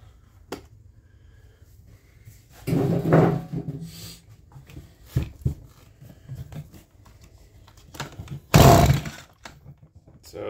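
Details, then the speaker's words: Stihl MS170 chainsaw no-start, tank out of fuel, given an external fuel source: several pull-start rasps with two louder bursts almost catching; needs priming, and it later started once fuel was supplied. "that sounded like it tried to fire foreign just needed a little bit more effort put forth and Prime in the fuel system"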